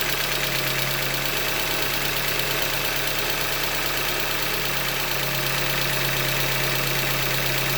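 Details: 2015 Hyundai Elantra Limited, 91,000 km, idling: fast, uneven knocking under busy top-end clatter at steady idle, engine knock from short block failure, a Hyundai manufacturing defect.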